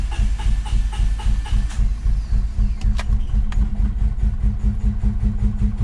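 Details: Honda Civic B20, day two after block weld repair of broken VTEC fitting hole: starter turns engine in steady low chug, never catches; crank no start, owner suspects alarm system, earlier suspected no fuel.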